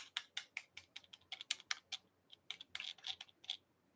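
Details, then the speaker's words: Shortwave radio's tuning knob (second replacement unit) failed: light uneven plastic clicks about every fifth of a second as the dial turns, loose, rattling and freewheeling without tuning; broken tuning knob, a known weak point. "Yeah, this is the second one they send me, and this failed. You can hear it rattling. It sounds loose,"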